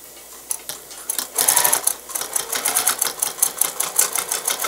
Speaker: now I'm gonna go slow because I'm going over those plastic key did you hear that that's why you got to go very slow thankfully the needle was sharp and there was no issue